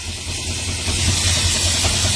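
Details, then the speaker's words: 1970 Dodge Charger V8 after heater core bypass, idling off throttle: steady lumpy idle under constant airy hiss; owner says vacuum leak, also suspects exhaust leak. "If I lay off the gas and I'm cut off though. You hear it? Definitely got a vacuum leak."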